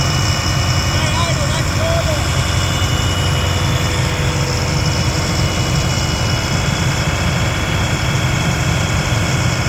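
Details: Abandoned M1078 LMTV military diesel truck at first start after new batteries and fuel: heavy idle with an uneven, lumpy low rumble under background music; rough idle, cause not yet found.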